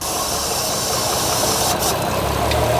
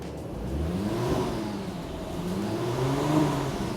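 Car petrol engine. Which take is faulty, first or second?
first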